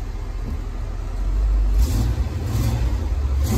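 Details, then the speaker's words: 1971 Ford F100 V8, after new Remflex metal header-collector gaskets replaced failing paper ones: deep V8 revs up cleanly and settles back, smooth and even, no exhaust ticking or rattle; healthy running after the repair. "sounds better [Music] i'm not a tick tick tick anymore that rattling"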